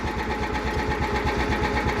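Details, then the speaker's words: Cub Cadet 1330 Kohler single, just revived after sitting; slow, even thumping of about ten beats a second with no misses; the idle is too low and the throttle needs adjusting. "okay right there they're slow so this i this needs to be adjusted that's slow"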